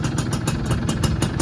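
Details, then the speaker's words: Rarely used, 90% original 2001 Yamaha F1Z-R Caltex two-stroke, electric starter still working: fires straight off the starter and settles into a crisp, even idle with regular popping exhaust pulses; normal start and idle. "Nah, ini starternya masih aktif, jadi double starternya masih bisa ini. Nah, langsung saya tekan. Wah, istimewa."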